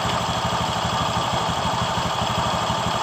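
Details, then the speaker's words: 2015 Honda BeAT Pop scooter at idle: coarse, gravelly knocking pulse from the belt-drive side that smooths when the clutch lining is wetted with water, worsening when throttled; worn clutch lining, roller housing also noisy. "di bagian pambelnya juga eh sudah haus dan kemudian coba kita hidup eh kita geber dari tuas gasnya seperti itu"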